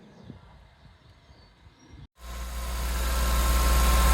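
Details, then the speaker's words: Warm Suzuki Jimny petrol engine idling near 2000 rpm instead of just below 1000: busy, over-revving drone from a stuck idle control valve. "as you can see we it sounds you could you could tell it's over revving"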